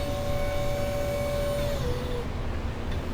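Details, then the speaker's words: Catamaran autopilot drive motor during dockside calibration, driven full port then full starboard: steady whine that sags when running to port, where supply is half a volt lower on an already low ~12.5 V; weak motor from low voltage. "It sounds like it's. Because you are half a volt less on the port side. That's weird. And it's already not very good voltage to begin with."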